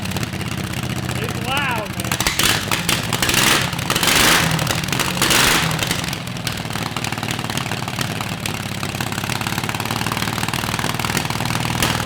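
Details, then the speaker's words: Predator 670cc V-twin chopper with homemade exhaust, first run: fast idle with uneven, stumbling beat and irregular pops; idle a little high and misfiring on the rear cylinder, carburetor suspected. "no the idol sounds like idled a little high yeah no but it sounds like distinctively v-twin motorcycle i'm not going to say harley but it's close it's a little high and i'm having some misfires on the back"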